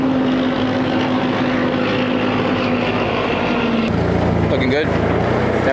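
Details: Caterpillar forklift with K25 engine on a test run after a head gasket replacement following repeated overheating: a steady, even drone with a constant low hum, no knocks or misses, temperature holding just below half. Normal running.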